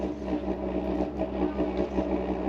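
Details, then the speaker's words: WW2-style immersion water heater drip-fed burner roaring steadily with correct fuel drip, swelling and settling slightly without sputtering; too little drip makes it go quiet. "so if it sound like a rocket engine I think we're good"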